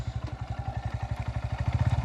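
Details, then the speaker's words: New Honda Hornet 125 single, very quiet new engine, idling then pulling off in first gear: even quick idle thump with a faint primary gear whirr audible only because the engine is so silent; mechanic says it is no problem; normal. "ये है इसकी primary gear का हल्का सा जो आवाज मतलब बहुत साइलेंट है इसलिए प्राइमरी गियर की आवाज सुनाई पड़ती है। वो कोई प्रॉब्लम नहीं बता रहा हूं भाई।"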